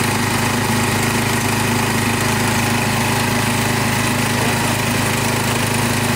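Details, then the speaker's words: Restored saw engine just started on the choke, oil clean: steady, even fast buzzing idle with no stumbles or misses. Starts right up and idles smoothly, with a little smoke at first start. "Runs really good. Sounds good. Well, she starts right up."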